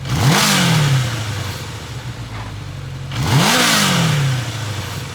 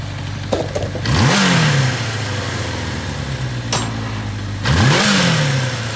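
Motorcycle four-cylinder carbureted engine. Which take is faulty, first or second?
second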